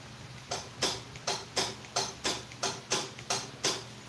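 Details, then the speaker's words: Scag mower with Kawasaki engine, engine off, its electric PTO clutch energised through jumper wires. Sharp, light clicks about every 0.7 seconds, fainter than the other clutch. Weak clutch engagement click. "Definitely not as loud as the other one when it clicks on, but it does click on."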